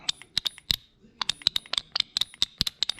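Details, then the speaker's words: Infiniti G35 VVT solenoid (oil control valve) bench-tested with power and ground for P0011/P0021 over-advanced timing: crisp, quick clicks as the valve opens and closes; it may still be partially clogged. "all right so we know the valve is opening and closing that's a good thing"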